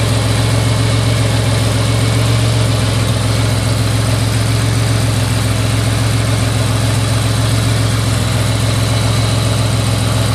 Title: Buick regal gse slightly warm misfire video..